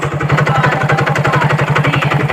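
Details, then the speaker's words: Hero Glamour motorcycle after another mechanic's work, smoking from the silencer, hard clutch, kick not engaging: steady idle with sharp tapping knock, about eleven a second, on every firing beat; engine knocking, full engine teardown suspected needed. "इसका half engine तो बनेगा ही बनेगा, लेकिन engine इतना sound कर रही है तो मुझे लग रहा है फुल इंजन खोल के देखना पड़ेगा।"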